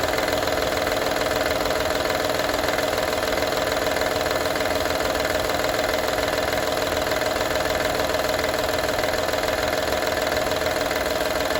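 Steady idle with a light, fairly regular metallic rattle riding on top, about two per second; source not pinned down.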